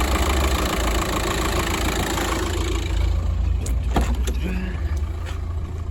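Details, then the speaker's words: Car at roadside with crank-no-start, idling during a charging test after the battery load-tested fine: even, low engine hum with brief handling clicks; alternator and battery check out normal. "normal everything checks out alternate Divine battery seems fine"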